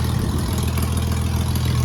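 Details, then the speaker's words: Ford AU Falcon burnout car on 98 fuel, just started after new boot-mounted fuel cell, fuel pump, filter, AN lines and pod filter: steady, even low idle rumble with no misses, knocks or hiss, no leaks found; normal idle. "Beautiful. Beautiful. Running."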